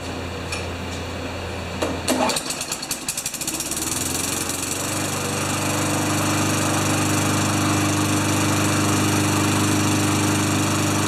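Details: Craftsman Tecumseh mower after new air filter, clean plug, sharpened blade, oil low; a few sputtering catches then a steady, even drone holding speed while warming; normal running.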